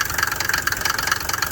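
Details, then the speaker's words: Gambler 500 rally-project car at idle: an uneven, lumpy idle with quick regular tapping on top that sounds close to stalling; the knock's cause is unconfirmed, and the owner plans to test what he believes is the glow plug relay. "No, it almost sounds like it's gonna stall out. That's how they sound now."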